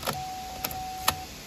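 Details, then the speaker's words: Chevrolet Onix/Prisma/Cobalt/Spin after repairing an ignition lock where the key would not turn. When the engine starts, the door locks cycle with three crisp clacks, showing the module is working normally. "só vai dar quando o carro Ligar ó ligou se atenta a isso só viu rebateu as travas Então quer dizer que o computador ali tá 100% funcionando isso aí valeu"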